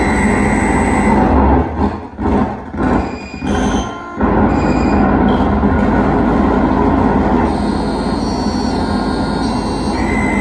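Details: 1978 Bally Midway Space Invaders with a Braze kit, ROMs and RAMs passing but the self-test showing a bit fail, with a loud, harsh, continuous roar and brief dropouts; cause not found.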